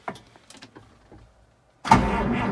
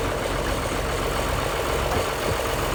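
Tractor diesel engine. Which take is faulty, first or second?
first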